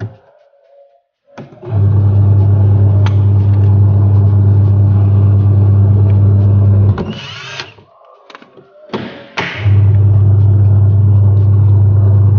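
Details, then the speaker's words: 14 kg twin-tub washing machine wash drive after gearbox replacement (previously rough and weak-turning): steady, even low motor hum that stops and restarts cleanly, no grinding or labouring; runs smoothly. "oke dan suaranya sudah halus Ya teman-teman sudah halus"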